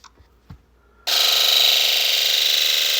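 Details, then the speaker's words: 1996 Ford F250 7.3L diesel with hard starting, rough running and code P1294 (high side open, bank 2). Injector buzz test gives a sharp pulsing buzz; all driver-side injectors are dead, and the wiring tested good, pointing to a failed injector driver module (IDM). "This test helped me determine that all the injectors on the driver side bank are dead."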